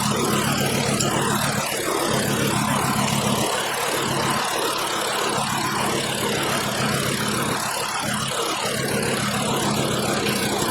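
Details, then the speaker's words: 2012 VW Jetta 2.5L five-cylinder with a constant misfire at idle and under load. Unplugging one coil connector changes nothing, marking the dead cylinder; the rough, skipping idle was later traced to a worn spark plug. "Disconnecting that, and it's not changing at all. I think this is our dead cylinder."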